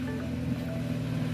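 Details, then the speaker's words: 2019 BMW 330i at 90,000 miles after serpentine belt replacement and oil change: smooth, low steady idle hum with no chirp or squeal, unlike the old belt's squeak at every start; accessory drive quiet and healthy. "rất hay và êm không có tiếng kêu như tôi đã nói trước khi thay dây curoa."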